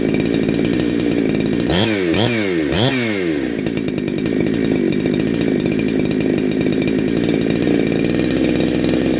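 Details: Neo-tec NH872 chainsaw (372XP clone) with a big bore kit and stock gasket, on a cold start during its second heat cycle. It revs hard three times, then settles into a steady, even high buzz, pulling clean and sounding awesome.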